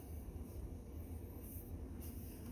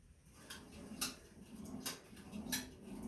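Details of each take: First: Sunny SF-E3911 cardio stair climber after reassembly, with lubricant sprayed on both metal roller rails to cure clicking that had worsened on both sides; a soft steady low rumble with no clicking, rollers moving smoothly; normal quiet operation. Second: Sunny SF-E3911 cardio climber: a sharp click on every step, about every 0.7 s, over soft stepping thuds, now on both sides and getting worse.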